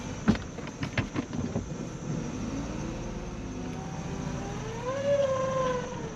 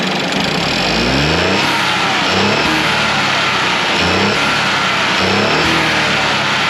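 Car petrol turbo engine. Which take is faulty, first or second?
first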